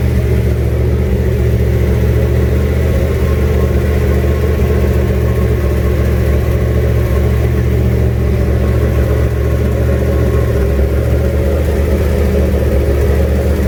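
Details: 1967 Mustang, junkyard 351W V8 with turbo, new headers and fender-exit exhaust, first fire-up: steady deep idle with some unevenness and revving; runs, owner says it definitely needs a tune, no weird noises.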